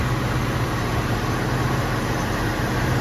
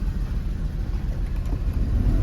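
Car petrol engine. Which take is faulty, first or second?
second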